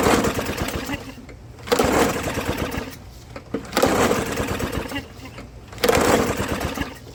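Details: Old lawnmower, starting spray used: repeated rope pulls, engine spins but never catches; no-start from no spark, spark plug wet and its electrode closed with no gap.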